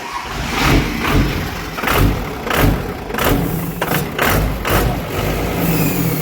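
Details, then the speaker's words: Hotshot diesel truck in neutral, throttle blips: choked hissing roar swelling and falling, sounding like a jet; exhaust brake kicked on going uphill and locked closed, controller planned. "all right cut it so yeah like it the exhaust break came on and locked on for some reason so which is fine i got halfway up the hill and it started sounding like a jet"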